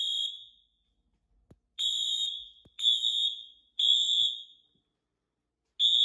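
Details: Wheelock horn test on a Fire-Lite MS-9200UDLS addressable panel: loud high-pitched horn blasts about a second each, repeating roughly once per second with brief gaps; alarm horns sounding properly, no fault.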